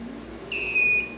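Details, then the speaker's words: Mini fridge on a 750W modified sine wave inverter and lithium battery pack: sharp high-pitched beep about half a second long in two stepped tones as the compressor vibrates but fails to start; owner suspects overload protection tripped. "the fridge did vibrate but it did not start up and i have a feeling that this thing it's overload protection probably clicked in"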